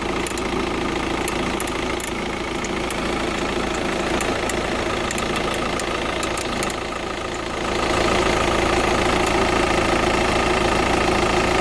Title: Tdi ticking sound